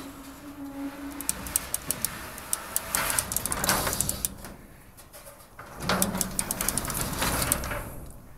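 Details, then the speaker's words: Garage door with pulley cable system, after the fixed pulley was moved out on a 3-inch bolt to stop the cable rubbing and grinding on the drum: door going up quietly with light ball-bearing ticking from the pulleys and no grinding. "Okay let's listen to the door as it's going up to see if we got any grinding noises now and that's the quietest the door has been in a long time you can even hear the ball bearings making noises as it"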